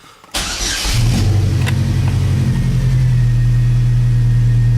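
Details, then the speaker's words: Chevrolet S10 with swapped Ecotec engine on AlphaFab ECM, cold start while still warming up, out of gear: cranks, catches quickly, settles into a strong steady low hum at raised cold idle, smooth even ticking, runs healthy. "So it just runs, nice ticking away engine, does good, runs great, everything it's supposed to do."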